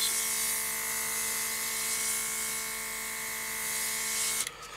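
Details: Elikliv cordless rechargeable airbrush compressor, about six to seven months old, spraying: steady high-pitched motor whir with a hissy air rush that holds level, then cuts off cleanly; the compressor sounds healthy.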